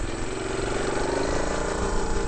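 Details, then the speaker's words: Engine after carbon decoke at 75,000 km, no rebore or new piston: even regular tickover, steady low thrum, no knocks or misses, sounds healthy; owner thinks the timing chain may need slight tightening. "if she ticks over all right she's ticking over she sounds healthy"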